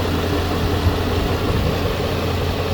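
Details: Infiniti G37 after a $20 part fixed its engine and transmission service: steady, quiet petrol V6 idle with even low hum and no knocks, ticks or misses.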